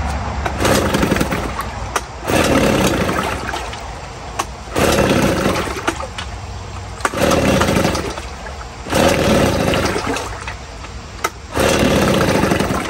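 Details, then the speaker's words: 1950 Johnson HD 25 2.5 hp two-stroke outboard at first start in a water bucket, carburetor adjusted: surges and sags about every two seconds, hunting at idle and won't idle lowest. Owner suspects the points need cleaning. "I think some other day I'll have to clean the points because it doesn't want to idle the very lowest. But other than that, it's a pretty good runner."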